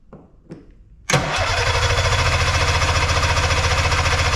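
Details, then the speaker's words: Arctic Cat Puma Deluxe 340 snowmobile, sat about 10 years, around 45°F, after backfilling the fuel line with the fuel pump now pumping: a couple of clicks, then steady cranking at about 3.5 strokes per second that never catches; cranks but won't start. "All right. No running though."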